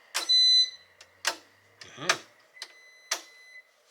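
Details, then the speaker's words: Breaker clicks then a few high, short appliance beeps as RV AC circuits are switched off and back on at the breaker panel, 50 amp main left on; normal behaviour, no fault. "you can hear beeping going on back there. So you know things are turning off and turning back on as we turn things on and off."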